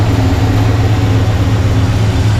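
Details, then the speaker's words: 1985 Chevy C10 Blueprint 350 V8 after sealing off a torn vacuum hose, timing unchanged: deep, steady idle with an even pulse and no misses or stumbles; running a little better. "It's actually running a little better. Timing is still the same."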